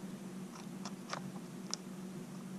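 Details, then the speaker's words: Peerless 820 transaxle chain drive mod on a 50 mph lawn mower: chain slid on by hand gives short crunching scrapes over a low hum as the cotter-pinned half link grinds against the differential hub, gouging it; chain later broke during testing. "when I'm trying to still slide this chain on you can hear it's grinding and what happened is a or number one number one will happen that's hitting which caused a bunch of mok's all the way around that hub from this little tiny half link right there"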